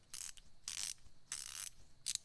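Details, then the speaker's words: Ratcheting wrench, 13 mm: short bursts of dry, fast clicking with uneven gaps as the ratchet is worked; ratchet mechanism broken, inner ring cracked despite not much torque applied. "there it's cracked the inner ring is actually cracked here I did not put too much torque through it again I crack with this side fasten off with this side that's how it is"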